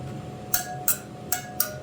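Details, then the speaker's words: Kawasaki KX450F wheel spokes tapped after tightening: five taps each give the same clear ringing ping, no dull thud; spokes evenly tensioned. "now it's the same so that sounds absolutely beautiful"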